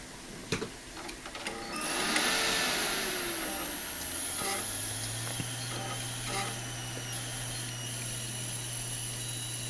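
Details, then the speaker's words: FSP 300-60GHA PSU with new output capacitors, fitted in an OptiPlex 390 that won't POST: thin, steady high-pitched squeal with a cicada-like hissing buzz, then a low hum; power supply coil whine. "it definitely is making itself heard in this machine kind of like it was in the previous um video"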